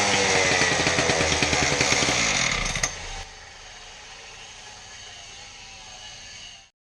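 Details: Husqvarna K770 concrete power cutter after repair of bogging, with replacement part likely from a K760: crisp full-throttle two-stroke snarl, drops cleanly to steady even idle, then shuts off; runs healthy.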